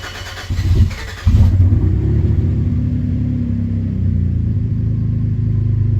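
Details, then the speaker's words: Cadillac ATS-V engine swapped into a 2013 ATS 2.0T, restarted after earlier no-starts, oil pressure showing: catches in about a second, then smooth, even, quiet idle with no ticks or knocks, like a brand new motor. Normal idle. "this is how quiet it is too it's like a brand new motor holy cow"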